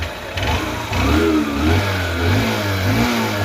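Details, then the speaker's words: Honda bike with 16,000 km whose engine bore failed, after engine rebuild: revs up and settles cleanly, steady single-cylinder firing with no knock, no smoke; engine now clear. "Smoke ఏం రావట్లేదు engine sound అయితే ఒకసారి వినండి clear"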